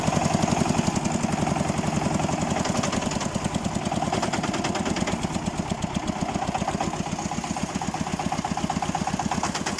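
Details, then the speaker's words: Xingtai 244 tractor diesel, about 70° temperature and oil pressure around 2, knocking under load: a steady sharp knock, a few per second, appearing at higher revs and growing louder; the owner is unsure of the cause. "Сегодня в этом же самом огороде у этого же хозяина двигатель застучал. А что ты будешь делать, да? Сильнее, сильнее, по-моему, становится стучать."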